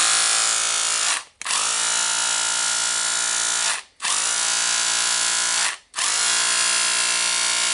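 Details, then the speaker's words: Makita DHR202 cordless rotary hammer after repair for loss of power, brushes refitted, battery-powered test: three even bursts of steady, high buzzing hammer action with clean stops. It runs strong and normally. "Sounds good. Need to try how it holds the tool and how it's chiseling."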